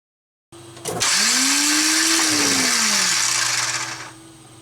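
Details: TDI-swapped Jeep Wrangler cranking with injection pump lines loose: high free-spinning whir that climbs then fades with no crank thuds; brand-new starter spins without its pinion engaging the flywheel, supply wire long and poorly routed.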